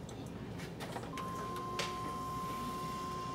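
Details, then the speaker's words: GM CPI fuel system, key-on prime after 5 seconds off: faint steady high pump hum for about two seconds in a quiet cab, fuel pressure gauge climbing; normal prime while checking for a leaking pressure regulator. "good I can hear the pump run and I can see my fuel pressure gauge climbing"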